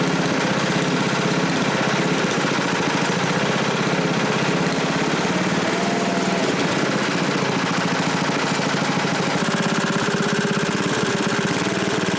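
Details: 1987 Briggs & Stratton 8HP Model 19 flathead, aluminum bore, first start after rebuild with new rings, carburetor not yet adjusted: loud, steady single-cylinder chug at a fast even rate with a rattly exhaust note; running smoothly.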